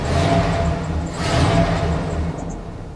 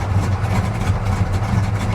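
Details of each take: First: 1999 Dodge Ram Sport after sitting six years, running on its own; crank position sensor and oxygen sensor wiring to be checked: revs surge and sag unevenly, nearly stalling; rough running. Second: Deep, even low rumble with no knocks, misses or surging; the 74 El Camino, started after sitting, runs rich but settles into a smooth purring idle while dash lights flicker.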